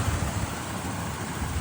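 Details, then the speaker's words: V8 idling after jump start, sat a year and a half and needed fuel pressure: low, steady rumble with an even beat and no misses or knocks; idles smoothly. "It's running really good. Yeah. Good mine. That's smooth as hell."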